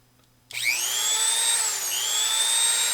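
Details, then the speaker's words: Repaired made-in-Mexico Dremel rotary tool, single speed 35,000 rpm, on/off only: clean high-pitched steady whine spinning up fast and holding one even speed, no rattle or grind; normal running. "Looks like it works to me. This one here is just a single speed, 35,000 RPM."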